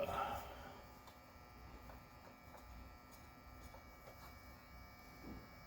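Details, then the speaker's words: Optoma HD26 DLP projector powering on after repair of color wheel squealing caused by heat-loosened foam cutting into the wheel; soft steady whir and faint hum, no clicking or scraping, color wheel and fan normal. "okay we got our read standby light and I should hit the power button we should hear the color wheel spin up and it should be happy"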